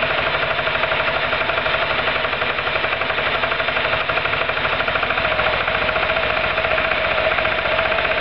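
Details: Roketa MC-54-250B scooter, 1730 miles since July 2008, stalls at every stop. Uneven, choppy firing at about two pulses a second over a thin buzzy exhaust, rough and near stalling. Cause: intake and exhaust valves had no lash at TDC; adjusting them fixed it.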